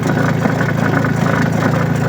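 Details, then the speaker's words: Astro spin dryer with clothes loaded, noisy when spinning: steady low motor drone with a faint buzzy rattle from the loose rubber-covered spring under the dryer foot. "So kung mapapansin ninyo 'yung ayon yung spring na umiikot. Ayan oh. Umiikot sa ilalim."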